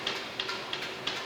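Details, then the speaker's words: Vintage metal planer line-shaft belt drive after installing flat belts: light even clicks about three per second as it coasts down freely, no grinding or drag; bearings good, no tension. "bearings look good if it stopped real fast that would tell me that i had some tension in there uh but this this looks real good that's spinning down real nice"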